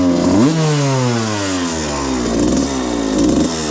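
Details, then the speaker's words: 1995 Suzuki RM125 two-stroke riding after shop rejetting to a 160 main (he thinks), 45 pilot (previously super rich on 180 main/52 pilot, wouldn't idle), just over 40:1 mix: crisp note climbs cleanly through throttle blips and gear changes, no bogging or spitting; runs much better. "runs a lot better now."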